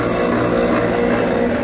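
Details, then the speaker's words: Lennox rooftop unit with no heat and code 66 (combustion air pressure switch open); steady motor drone with a rough, buzzy hum; inducer running but sounding bad; failing inducer motor. "alright guys so this is an easy one so on this unit we have no heat and if I see the inducer working doesn't sound good but but uh there's no key"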